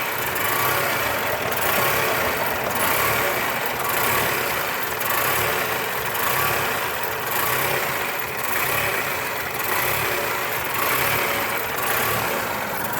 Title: Rough idle 1